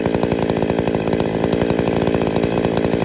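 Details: Two-stroke chainsaw with centrifugal clutch, after fitting new clutch springs; spec is about 2500 rpm idle with clutch engagement near 3500 rpm: steady, crisp idle with no surging or sputter; saw idles normally and sounds healthy.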